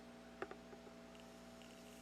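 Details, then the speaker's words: Luxman RV-371 receiver, center channel: sharp crackling pops and static over a low mains hum, like a bad connection. It clears when the op-amp's resistor-capacitor negative feedback loop is touched or cold-sprayed. "Like, occasionally I get some static from it. Some weird static from it. And like a bad connection."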